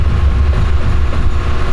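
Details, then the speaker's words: Car with fuel pump disabled to depressurize the line before installing a COBB flex fuel sensor: deep, lumpy idle that pulses and falters unevenly as the fuel runs out, engine close to dying. "it's going to run out of fuel soon and then it should just die it should this one's holding on for dear life"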